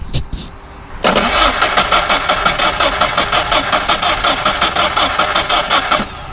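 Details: Steady rhythmic cranking about three turns a second for five seconds, never catching; fuel pump relay seemingly clicking but very little fuel pressure, suspected fuel delivery problem, not confirmed.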